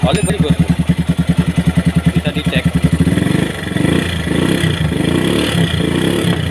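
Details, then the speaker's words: Motorcycle with rebuilt seized piston, third repair for oil not reaching the cylinder head, restarted after oil pumping: steady thumping idle about three beats a second, settling smooth with no knock or rattle; oil then reaches the head. Normal idle. "Kita akan menyalakannya lagi. Semuanya berjalan normal, Bos."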